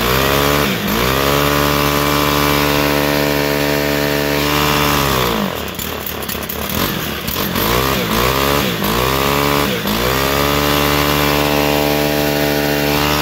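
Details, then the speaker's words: Stihl FS-111 two-stroke trimmer held at throttle with primer pressed, with a fuel-soaked air filter; high revs sag and surge raggedly several times before settling as airflow returns. "and that sounds like it's finally starting to get the air flow that it needs"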